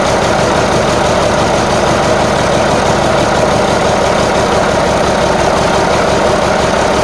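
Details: Marmon 57P Aero truck, newly installed diesel engine at first start after fueling injectors: loud clatter at idle with uneven, lumpy beat; sounds like it's missing on one or more cylinders, cause unconfirmed.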